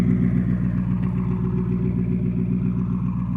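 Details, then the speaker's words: Chrysler 300C HEMI, driven hard, first start after repairing a dropped valve seat and honing the cylinder, catalytic converters retained. Starts right up into a deep, even, healthy idle, smoking from leftover oil in the cylinders and exhaust; exhaust sounds nasty. "this thing started right up yeah it's going to smoke for a little bit after everything that happened all the oil in the cylinders and in the exhaust and everything but the exhaust sounds nasty"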